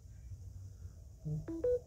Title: phone beeps while charging